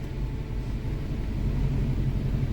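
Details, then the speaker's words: 2015 Hyundai Accent, no fault codes stored: low, lumpy idle with uneven stumbling beat, one cylinder dead; misfire. "ये Hyundai accent है अपना गाड़ी start है अभी गाड़ी में बहुत मिसिंग कर रहा है"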